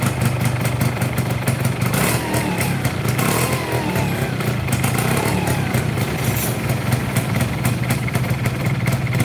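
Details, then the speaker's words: Yamaha Fiz R two-stroke, hard to start: idle has rattly, uneven ticking under the exhaust buzz and a rough blip, with vibration from the middle of the engine around the crankshaft; worn crankshaft and connecting rod bearings. "terus ada suara getar tengah ya di bagian tengah kalau di area piston nggak begitu kedengeran ya karena ketutup sama suara yang di sini"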